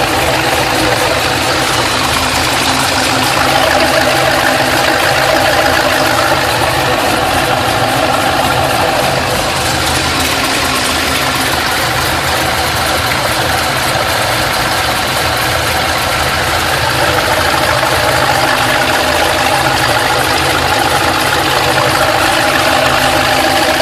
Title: Ticking sound after head/cam/intake swap ls2 Gto